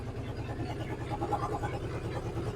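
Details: 1963 Ford F100 unibody, Y-block V8, three-speed, sitting and running after 20+ years off the road: quiet soft low rumble at steady idle, no top-end ticking or clatter; normal healthy idle.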